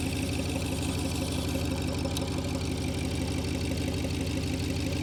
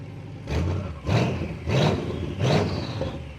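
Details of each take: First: BMW 7 Series N63 V8 fitted with aftermarket downpipes: a smooth, even idle with a steady low rumble and no ticking or puffing from the exhaust joints, everything sound. Normal idle. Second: BMW 7 Series with N63 V8, new downpipe installed but not yet joined to the mufflers: three throttle blips, each a loud raw bark that fades quickly. Loud because the exhaust is open with the downpipe disconnected.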